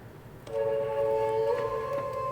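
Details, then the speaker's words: 1983 Sharp QT12 boombox, radio mode at low volume: quiet hiss then clean steady radio tones through both speakers, no crackle or dropout; radio working fine, AM very well. "and both speakers are working and the radio is working fine"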